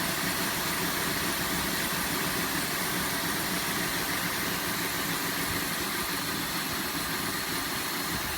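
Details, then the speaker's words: 2005 Cadillac DeVille V8 at idle, shaking badly, with an uneven stumbling beat and irregular low thumps; misfiring badly, and it had backfired out the exhaust. "it is shaken like crazy and it is not firing correctly here look what my hands are walking on that's not a normal Idol it is misfiring badly oh my god"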